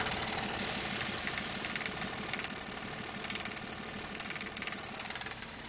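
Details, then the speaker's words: 2012 Ford F150 3.5L EcoBoost with no power, rough idle, 35 mph limit and codes P0087, P0174 and P053F. Rail pressure is far below commanded while low side reads about 64-65 psi. Loud, fast metallic clatter at idle, recorded close in: failed high-pressure fuel pump. "the dead giveaway here the high-pressure pump problem is that clattering I'll get you closer so you can hear it"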